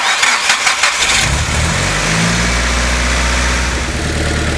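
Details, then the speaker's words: Nissan Silvia S15 with a dead battery jump-started with a NOCO GB70 at about 11.2 V: the starter churns with uneven, dragging strokes for about a second before the engine catches and idles; labored cranking. "sounded like a normal stter whereas the gb70 and the 30 there were parts that sounded like they were struggling a bit"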